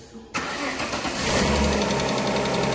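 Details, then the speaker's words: Alfa Romeo 156 2.5 V6 Busso CF2, after replacing all six spark plugs and cracked coil packs that caused a misfire: catches on first crank and settles into an even, steady idle with no popping; normal start and idle. "That's running good. Oh, massive relief. Now we're to the back of the car, ready? No more pop, pop, pop, pop, pop, pop, pop."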